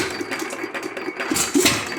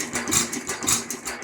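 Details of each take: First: Lauson 2hp hit-or-miss engine, first run after cam gear replacement following decades of rust: slow uneven firing beats with quiet coasting gaps; starts easily and runs well. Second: Lauson 2hp hit-or-miss engine after cam gear replacement, after trying timing advance lever: slow heavy uneven thumps about every half second, rattly top end; rough running, black smoke puff each firing, owner suspects running rich.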